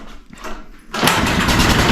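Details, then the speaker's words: Generator that sat outside in snow and wouldn't start; after a little fuel is added directly, a recoil pull makes it catch and run briefly, showing spark and compression are fine and the fault is fuel delivery. "Hey. It's a fuel thing. And because it just did that, there's no reason to check for spark or compression. We know it has it."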